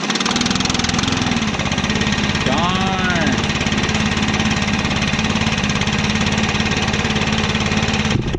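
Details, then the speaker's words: Stihl 4-MIX backpack blower (BR600/BR700 type) after a DIY valve adjustment: it starts on the first pull, which it usually doesn't, and holds a steady, even high-speed drone with no misses or rattles. It is running properly. "alright guys so it usually does not start in one pull like that so that adjustment worked great"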